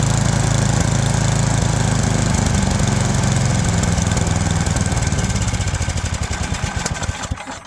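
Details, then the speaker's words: Toro Power Max 826 LE snowblower, warmed up, after replacing its full-throttle-surging carb with an adjustable carb and tuning it: a steady, even beat with no surging, then it winds down at shutoff; now running normally. "Got it all tuned up, running much better than before."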